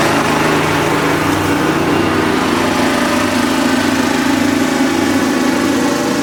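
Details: Kubota riding mower, sat years after dying with a horrible noise, now running steady and strong with light rapid ticking under the exhaust; owner calls it a horrible lifter tick and suspects a slightly bent valve.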